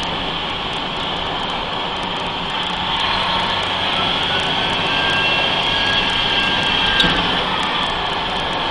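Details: Mercedes-Benz 3340 diesel truck, turbo failure test: steady diesel drone with a thin high whistle that climbs slightly as revs rise. Tired turbocharger suspected, not confirmed.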